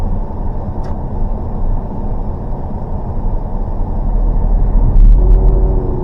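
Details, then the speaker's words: John Deere 9800 self-propelled forage chopper during year-end inspection, with the machine engaged and all systems run: a deep, steady rumble and even churn with no knocks or grinding, sounding healthy. "Sounds healthy."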